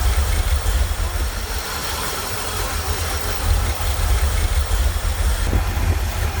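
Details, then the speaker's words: Corvette C3 V8 with Holley carburetor, cold, not yet at operating temperature, bimetal choke flap slowly opening: slightly raised, steady idle with deep even rumble; normal cold idle on choke. "अब निश्चित रूप से यहाँ है इंजन अभी ऑपरेटिंग तापमान पर नहीं है लेकिन अभी भी ठंडा है और यह खुलता रहता है।"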